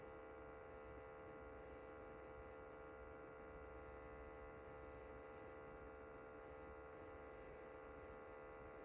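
A steady mid-pitched electrical hum holds level throughout with no knocks or changes; the humidifier is droning, cause unclear.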